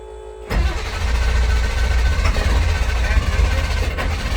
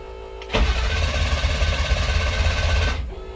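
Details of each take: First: 2000 International 4700 automatic truck with electrical faults, after jumpering a lost ground so the ECM powers up: quiet, then the engine catches in half a second and settles into a steady, even low idle rumble; healthy start. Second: 2000 International 4700 low-mileage automatic truck with electrical faults, engine warning light not coming on at key-on: starter turns the diesel over evenly for about two and a half seconds but it never fires; crank no start.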